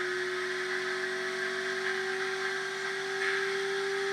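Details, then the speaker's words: Bearing whir in a Renaissance Charge dual-pole mini kit motor energizer, charging a battery at about 13 V and 0.9 A, a steady mid-pitched whir and constant hum from excess fresh lube that should quiet within a couple of hours. "so you can see now it's going to take probably a couple of hours before that lube really penetrates in to the bearing and so you'll hear this kind of sound like cuz there is liquid excess of liquid"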